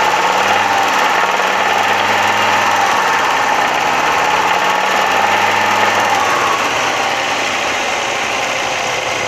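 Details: Audi 100 2.3 (NF engine): engine held around mid revs with a steady ticking knock about three per second; knock appears from about 3000 rpm and up, clearer under load, source undetermined.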